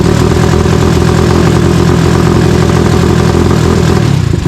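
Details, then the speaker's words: Tao Tao 250 YFZ-style quad with newly installed single-cylinder engine, oil checked and coolant added, revved repeatedly after short run: loud clatter with uneven, choppy beat that chops out instead of climbing cleanly; stumbling on throttle, cause unknown. "Okay, so before when I would rev it, it would like chop out. Like that. Just like that."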